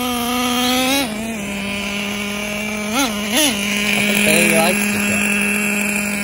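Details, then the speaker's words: Traxxas T-Maxx with new 3.3 nitro engine that kept freezing up on start, fixed by skipping the EZ-Start igniter and slightly loosening the glow plug; steady high buzz with brief blips: normal running. "it started up and now it's running good we just ran a tank through it"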